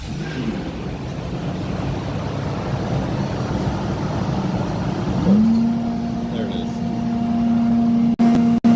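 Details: 2006 Lexus GX470 cold start before bypass install, pump stuck off, secondary air injection code and check engine light: steady low drone rising into flat vacuum-like hum; failed secondary air injection pump.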